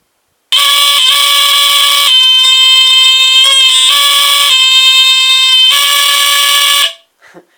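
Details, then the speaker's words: Vintage GE Home Sentry 8202-001 120VAC hardwired smoke detector tested with cover off: loud shrill alarm tone breaks off unevenly and shifts pitch instead of a steady pattern; seems not to like testing without the cover. "I guess it doesn't like it when you test it without the cover."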